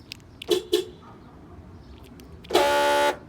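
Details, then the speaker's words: 2009 Honda CR-V, lock button pressed: two quick raspy buzzes, then a horn chirp. The lock actuator on one side only has a stripped gear. "yep so the uh the noise happens when you lock it yep so this means that this actuator is bad um somehow the gear is stripped that's the sound of it"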